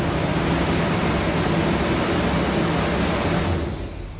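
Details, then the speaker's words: Chevy C10 farm truck after new twin-tailpipe exhaust and tune-up: smooth, quiet, even low idle with a soft regular pulse, no misses or knocks, running noticeably smoother than before; normal idle. "Oh, it's idling nice. Listen to her. You can hardly hear it."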